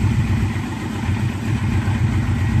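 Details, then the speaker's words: 1996 Yamaha Royal Star V4 after carb cleaning and sync, 4-into-4 exhaust: steady, even low thrum at idle with no misses, surges or hunting; idling fine now. "but she seems to be idling fine now"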